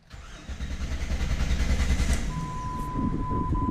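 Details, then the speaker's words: 2000 Jeep Grand Cherokee 4.0L crank-no-start: starter cranks the engine at a steady rhythm, about three turns a second, but it never catches; scan tool won't power up, suggesting no power at the diagnostic connector, being traced. "Grand Cherokee we got a crank no start see if you can hear"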